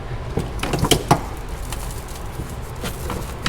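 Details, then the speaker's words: Dodge Challenger Hellcat rebuild after a fire: flexing the old power cable gives sharp scattered crackles like a snapped glow stick, cable short-circuited in the fire; to be replaced. "know if you guys can hear that crackling. Listen. Does not sound good, because when this car caught on fire, it short-circuited, so that is not very good."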